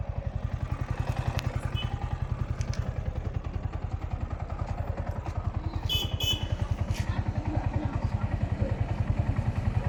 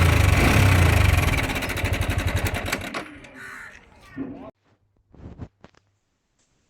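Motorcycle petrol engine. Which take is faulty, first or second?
second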